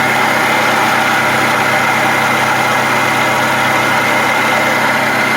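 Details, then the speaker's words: 2009-2019 Toyota Highlander 2.7L 1AR-FE four-cylinder at idle: steady high-pitched whir and growl from below the alternator, not the engine itself; worn water pump bearing, to be fixed by replacing the water pump. "noise is not coming from the motor itself coming from down here underneath your alternator is your water pump it's a common noise on these COA products"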